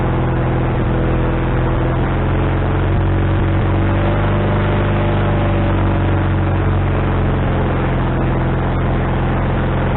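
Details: Wood-Mizer LT40HD sawmill engine just started after fitting a new carburetor, bowl having drained overnight: fast, busy idle that never drops to a slow tick-over; owner suspects the governor linkage is hooked up wrong.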